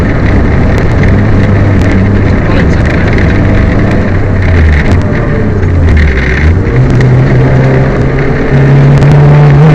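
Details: Peugeot 205 rally car on Opposite Lock Stages Rally 2011 Stage 8: engine note under hard throttle stumbles and breaks up over road and gravel noise; misfire under load.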